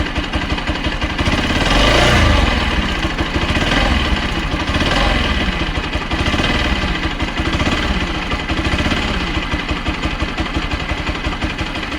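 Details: Bajaj Pulsar NS200 single-cylinder motorcycle at idle: uneven idle with a light fast tick over the exhaust beat throughout; engine ticking noise, source not pinned down.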